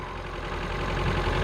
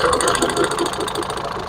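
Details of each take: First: Ford Figo petrol engine, brought in for stalling and misfire, idles evenly with a steady low hum and no misfire after scanning showed no codes and a reset brought high idle rpm back down. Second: Ford Figo petrol engine that keeps stalling, idling unevenly with stumbling pulses; scan shows cylinder 3 and 4 misfires and knock sensor fault, throttle body very dirty.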